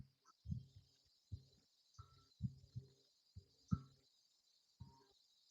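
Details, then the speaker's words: 2021 Kayo 230 dirt bike rear wheel spun by hand: a soft, dull, unevenly timed thump under once a second as something catches on each turn; there is a bent spoke and a loose spoke nipple, and the owner suspects bad bearings. "It almost sounds like the bearings are messed up too. What's going on here? I hear something like, hmm."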